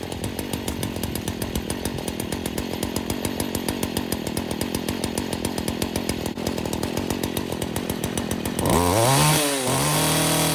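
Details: Stihl FS40C trimmer running after replacing the spark plug that stopped it starting: steady high-speed two-stroke buzz with a crisp even beat, revving cleanly under load; normal running.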